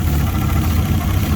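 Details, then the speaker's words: Fiat Punto GT, not started in over 12 months, poor cold start, warmed a few minutes: low, uneven idle with soft chuffing; revs wobble when carb cleaner is sprayed near the intake manifold, revealing a manifold vacuum leak. "So we've got an air leak on the intake manifold somewhere. Yeah, 'cause you can hear the revs fluctuating every time it gets a little bit of extra combustibles."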